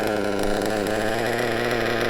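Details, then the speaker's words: Nitro RC engine after clearing a fuel blockage and raising the too-low tick-over: high, even buzzing idle holding steady without stumbling; a clean, properly set idle. "There we go. That's a lovely little tick over there."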